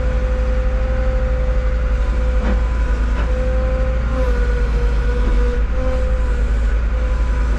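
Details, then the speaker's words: Cat 313 GC forestry-package excavator at auction, about 500 hours, about 45°F outside: a steady hydraulic pump whine over the diesel rumble that wavers unevenly and sounds not quite smooth; observers doubt it is just cold, cause unknown. "yeah it does it does sound got an awful not quite smooth with it could be cold but it ain't that cold you know what I mean"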